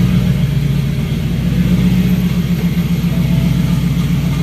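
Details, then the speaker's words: BMW E92 M3 turbo build, start after clearing all 32 fault codes: deep, even V8 rumble idling and revving with no misses, knocks or stumbles; normal healthy running, owner notes a loud scavenge pump screech. "We started her up, and perfect, like perfect. Even the video before, the sound was a little off, I felt like, but it was perfect."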